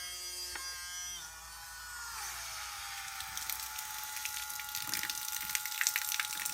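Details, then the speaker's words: Portative shower pump after home repair, impeller that had fallen off refitted on its screw: spins up to a steady, even high whine with no grinding or rattle; now works well. "А так в домашніх умовах відремонтірую і вже працює вже файно."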